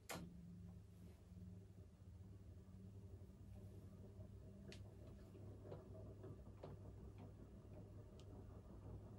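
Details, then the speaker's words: Crompton Greaves High Breeze 56-inch ceiling fan on medium of a three-speed controller: steady low hum with irregular ticks and scuffs as the fan shakes. Canopy tightened against the ceiling and rubbing on the wood. "that noise is because i have the um it shakes a little bit and i have the canopy tightened all the way up against the um ceiling so that noise is just the canopy rubbing against the wood that it's hanging from"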